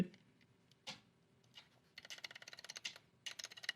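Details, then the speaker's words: GK64S mechanical keyboard stabilizer: crisp keypresses with only a faint high-frequency tick and no loose rattle; quiet stabilizer. "oh that's a much better sound you can hear there there's still a couple just a little bit of a high frequency sound but it's not as bad i don't know if i'd call that a rattle"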